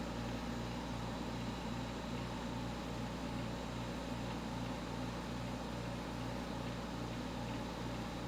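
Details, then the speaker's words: Just-installed 1970s Westinghouse 6,000 BTU window air conditioner running on a 70°F humid day. A steady, even low hum with constant fan rush and no rattles or knocks. Far quieter than expected: normal, healthy operation. "I'm amazed. I thought this unit was going to be a lot noisier than this, but that's not the case at all here. It's actually pretty quiet."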